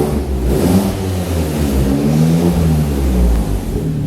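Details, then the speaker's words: Customer car on the lift, engine revving: rough, heavy knocking under the exhaust roar, suspected spun rod bearing; also a suspected massive exhaust leak and a previously blown turbo; replacement motor ordered for a swap. "We're setting this customer's car on the lift right now, and this sounds like this car has a spun bearing on the motor."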